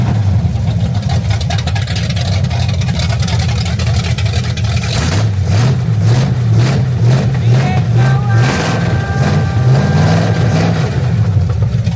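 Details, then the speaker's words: 1974 Chevy Corvette V8 after refresh, new intake, carburetor, serpentine drive, on straight open headers: loud, deep, even rumble swelling with throttle blips, no knocks or misses; healthy running. "Oh! It's alive, baby. Woo! That's straight headers. It's pretty loud."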